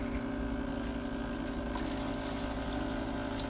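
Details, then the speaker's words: Boat raw-water pump after clearing an air lock by loosening line clamps; the pump had been cycling off from overheating. Strong steady rush of water over a faint pump hum, no sputtering. Normal pump flow. "we should be pumping out the side now hey there we go we were just air locked"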